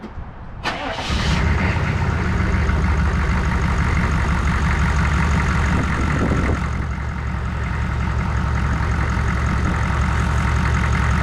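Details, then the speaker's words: 1994 2500 truck after a new fuel filter and hoses: it catches after a short crank and settles into a steady low clatter at constant speed. A clean start and a healthy idle. "as y'all can see, I got it back started."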